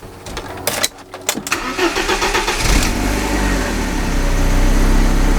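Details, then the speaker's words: 1991 BMW E30 318is (M42 four-cylinder) after tune-up with new belts, oil change and air filter, started outside: a few clicks, short crank, brief rev on catching, then smooth even idle; healthy start. "that sounds nice that sounds real nice"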